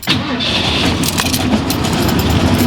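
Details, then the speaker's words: 1991 Ford F-150 5.8L, under 100k miles, first start after sitting 8 years, Seafoam added: catches on the crank and runs lumpy with an uneven stumble. Single-cylinder misfire from a dead, non-firing injector. "so yeah it started it's misfiring like a son of a gun though well she started which is good but our little trouble injector down there that little devil is still not not far enough"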